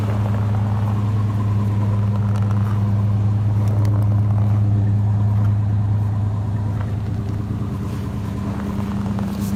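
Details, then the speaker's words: 1988 Monte Carlo SS V8, revived after being parked since 2004, with a sticky thermostat: deep, steady idle with a faint regular puff about three times a second. This is a small exhaust leak that may fade as the engine warms. "what six thousand i say they're really cleaning up that exhaust leak eh"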